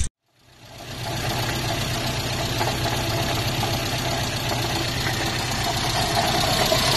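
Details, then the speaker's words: 1972 Datsun 1200 coupe idling after long sitting; regular deep knock about three a second following engine speed, sounding like rod knock, but caused by hand-tight crank pulley whose bolt spun loose, letting the pulley wobble. "and what we discovered a friend of mine and i was that the crank pulley was hand tight and the bolt just spun loose right out the engine and was causing that noise for that crank pulley to wobble around"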